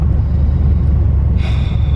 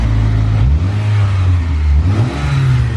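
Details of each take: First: Rebuilt Mitsubishi Eclipse (DSM), about 400 miles since the rebuild, around 16°F in January, just after an axle, coil pack and oil change: deep, slow, even idle of about 600 rpm with a short hiss. The idle overcorrected and is too low. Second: Rebuilt turbo Mitsubishi Eclipse at 400+ miles, after new coil packs and a fix to the cracked blow-off valve vacuum line: quick revs then an even idle with no misfire, faint turbo spool through the exhaust; idle still high at 1500 RPM.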